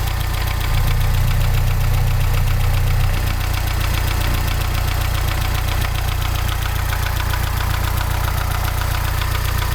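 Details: Mazda 626 GD engine at idle: steady, regular knocking about 200 per minute riding over the idle throughout; clear engine knock, cause not yet determined.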